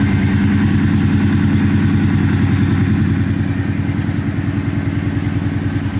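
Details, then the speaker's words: 2004 Kawasaki Brute Force 650 V-twin ATV with intermittent no-start and carburetor backfire, owner suspected fuel pump or carbs; carbs exposed and tank back in, it now suddenly starts and runs with a steady, slightly lumpy beat and mild clatter; cause unknown. "I have no idea what's wrong with it because it's now all of a sudden it starts and runs so I baffled I don't know"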